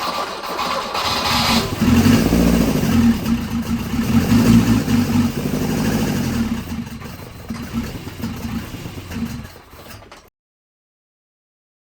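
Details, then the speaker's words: Volvo 242 four-cylinder petrol engine converted to DCOE carburettors, after timing was backed off from spark knock; it starts on the key, revs slightly and settles to an even idle with no knock; idle may be set lower. "It runs fine. I think we got some linkage to sort out. Maybe set the idle a little lower. Sounds good."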